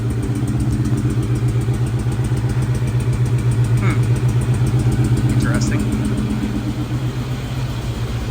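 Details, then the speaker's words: Mustang Cobra supercharged V8, first start with a new ported 1000HP supercharger, not yet hot. Deep lumpy idle with a regular stumble about four times a second. Exhaust cam position actuator circuit code; suspected Bank 2 misfire, unconfirmed. "so that sounds like it's missing before this thing gets too hot ah still got exhaust cam position actuator circuit that's kind of weird it's running relatively okay but it looks like on Bank two we're having some sort of issue"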